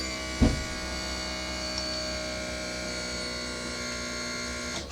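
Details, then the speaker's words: Old HWH hydraulic leveling pump on an older motorhome while leveling the coach: a steady electric pump hum with a constant tone under light load; an old unit with a little rattling, but working normally. "activate HW hydraulics. This is an old unit, by the way. So, a little rattling, but it gets the job done."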